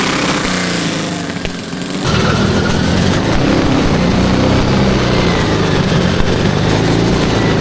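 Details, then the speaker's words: Custom 900 lb V8 of eight Tillotson 212cc engines on a go-kart, test drive: loud, uneven, ragged buzzing, running rough; all carbs set lean, jetting to be tweaked, cause not confirmed. "What happened? I don't know. It's hard to tune eight engines at the same time. Why you have to lean them all?"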